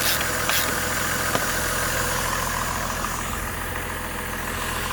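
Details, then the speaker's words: 2005 Buick Rainier after cylinder 1 misfire repair (ignition coil replaced) and codes cleared: steady, even idle with no missing beats or stumble; running smoothly. "Looks to be running smooth."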